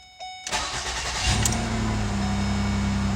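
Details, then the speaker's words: 2009 Ford Escape 3.0 after ignition switch replacement for intermittent no-start: short crank, then catches at once and settles into a steady, even idle; clean first-try start. "so it should start the very first turn nice let's try it again"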